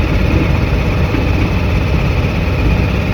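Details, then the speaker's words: Volkswagen Bus being renovated, before its oil change and spark plug swap, after being driven to the shop: low, uneven, lumpy chugging instead of a smooth beat; engine running rough, cause not yet pinned down. "she sounds awful it's terrible driving here I was just just holding my breath the entire time"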